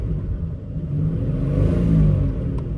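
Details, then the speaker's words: 1994 Jeep Grand Cherokee Laredo 4.0L stopped during road test, throttle blipped: smooth, deep engine note swells and eases back with no knocks or rattles; normal rev, though a slight ticking appears under load in gear. "Okay, I'm going to stop for a second and just rev up the engine. I have not noticed any concerning engine noises. Like, engine sounds pretty good."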